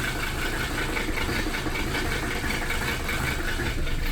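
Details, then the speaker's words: 1982 Mercedes 300SD diesel, bought non-running, just after fitting bench-tested injectors and new Bosch lift pump, with low compression: starts without throttle, slightly uneven lumpy idle clatter; owner suspects air still in the fuel system. "A little bit rough, so that's probably because there's still some air in the system right now."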